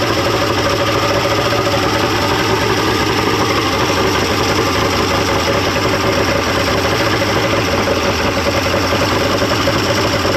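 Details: 1995 Mercury 200hp XR6 Blackmax outboard, after timing adjustment and clearing carb jets: steady even idle, no misses or surging over about ten seconds; runs much better than yesterday, normal idle.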